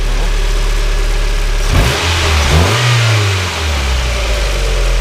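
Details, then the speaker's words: 1993 Mazda Miata 1.8 (white sweet smoke, cylinder 3 at 120 psi, cylinder 4 at 150): smooth idle, a throttle blip, and it returns to idle without dying as it used to; idle air control valve suspected. "It sounds like it's running smoother, and before it would die if you gave it a little blip and let it go, and now it's not dying at all. It's running smoothly."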